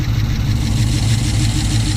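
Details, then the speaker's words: 2006 Chrysler 300 SRT8 V8 after aftermarket camshaft install with non-stock lobe separation angle, untuned; deep idle with uneven loping pulse, shaking a little, needs tuning; lumpy performance cam idle. "Shaking a little bit. That lumpy cam. Yeehaw! To figure itself out. This is where the tuning's going to come in."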